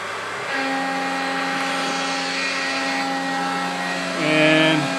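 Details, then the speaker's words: Mikini 1610L mill with new AC inverter-duty motor and Hitachi sensorless vector VFD replacing the BLDC motor, tool 3 in the spindle: steady tone climbs smoothly as the spindle spins up, then even hum into the aluminum cut, no dips or surging; normal spin-up. "tool 3 is already in the spindle so I'll have to do is hit cycle start again and then the spindle is going to spin up"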